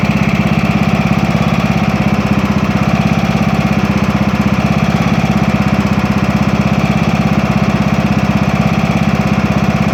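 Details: Craftsman T2200 tractor, Briggs 540cc, just reassembled after camshaft replacement and warming up: smooth, even low idle with a regular beat, no knocking or stumbling; no leaks or smoke, residual silicone burning off; healthy.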